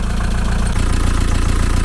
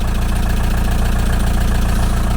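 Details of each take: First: 1987 VW T3 camper with AHU TDI diesel after a turbo replacement, idling: steady low clatter with slightly uneven pulses, a mild lumpy idle; owner suspects a leaky injector, not confirmed. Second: 1987 VW T3 camper with AHU TDI diesel, just after replacing a blown turbo with a used unit, first start after months sitting, not revved: steady, even diesel idle with regular low firing pulses, no knocks or rattles; running normally with oil pressure.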